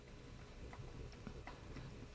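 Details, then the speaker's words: 1951 Vincent Rapide engine turned over with the plugs out and rocker caps off gives light, irregular metallic ticks; the pushrod spins freely from excess tappet clearance, cured by adjusting it. "just hear it tapping and the push rod spins quite freely"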